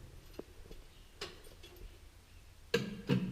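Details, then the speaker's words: John Deere 4020 tractor: a few sharp, uneven clicks with no cranking when starting, intermittent problem; starter relay solenoid suspected; starter clicks without cranking. "that yeah it just keeps doing that noise and behind this cover is a uh is that starter or that solenoid relay thing"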